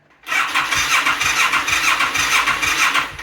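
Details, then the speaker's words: Yamaha XS400 cafe racer project, first start attempt after new petcock and new battery: sluggish, uneven starter chug about two turns a second that never catches; battery too weak, cranking too slow, no start. "I can hear the battery shitting itself. Why? Well, no dice."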